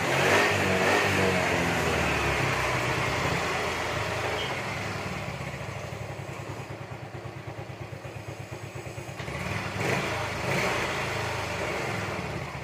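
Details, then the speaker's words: Yamaha Mio M3/Mio Z 125 after new piston rings and a valve/camshaft tick repair: even single-cylinder putter at idle, then a clean rise when revved. No ticking, and the thick white smoke is gone. "Alhamdulillah sembuh guys ya jadi lihat dan suara ngelitik nya juga hilang"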